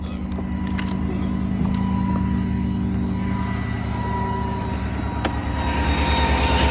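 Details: 2020 GMC Sierra 1500 idling with a faint steady high whine of constant pitch over the engine; source unclear, owner suspects a transmission bearing.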